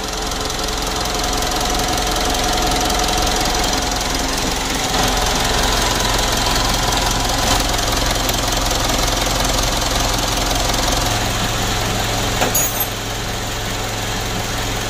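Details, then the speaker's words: Normal diesel idle on a 2012 Mitsubishi Pajero Sport Dakar after removing and refitting the turbo, which had been the source of a harsh rattling noise: steady, even clatter with no whistle, hiss or stumble; turbo now sounds clean. "Jadi untuk suara turunnya sudah bagus sekali Castle Coba kita cek dulu kita dengar di sini ya untuk teraturnya sudah bagus ya"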